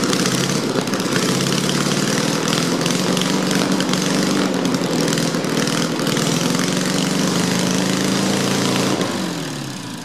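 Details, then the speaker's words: Old 1776 cc air-cooled VW flat-four buggy engine, sat 20 years, rebuilt, floor-started cold with open exhaust: loud steady fast idle, even beat, no knocks, clanks or weird noises; runs well, may need carburetor tuning. "well I know she runs sounds like she runs pretty good as far as the Integrity goes there's no knocks no clanks no weird noises it probably needs some carburetor toing"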